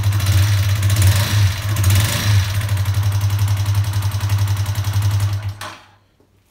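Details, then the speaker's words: Warmed-up Honda CBR125 four-stroke single after repair of rough idle and sputtering coming off idle when warm: fuel pump primes at start, then a steady, even low thump at idle before a clean shutdown; normal idle. "so that's where we're at with this one if we start it up it runs great now so get it warmed up you can hear the fuel pump come on as you and you start it and our idles"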